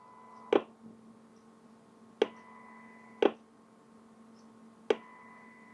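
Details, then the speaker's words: HP 8664A 3 GHz signal generator, AM modulation demodulated on a spectrum analyzer with the microphone held close: a steady low buzzing test tone broken by sharp clicks every second or two as the sweep pauses; AM working correctly. "So it demodulates in a few seconds at a time, and while it's demodulating, then the sweep stops. So you can hear the tone. So no problems, definitely working correctly."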